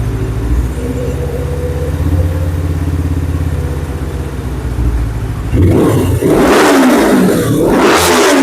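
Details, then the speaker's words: 2007 Suzuki GS500F parallel twin after revival work, idling before warm-up: steady low burble, smooth even idle then a couple of throttle blips, no leaks; runs far better than months ago, longest it has run. "She runs way, way better than it did quite a few months ago. I mean, this is the longest it's ran."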